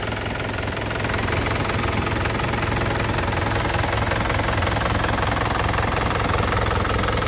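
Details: 2010 Isuzu Panther LM Smart Turbo diesel, manual: even, regular diesel clatter at a steady idle that swells slightly when revved, with no knocks or misses; the engine sounds solid and healthy.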